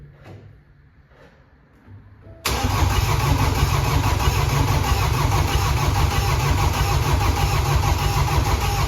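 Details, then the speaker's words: Flooded BMW F20 diesel, first start after rebuilding an engine with a crushed connecting rod and no compression, fuel primed via the injector ports without a scan tool, intercooler and DPF disconnected: quiet cranking, catches at once, even steady idle with no knocking or misfire. "one cor Road was crushed no compression the whole engine was a mess and now it's it's running"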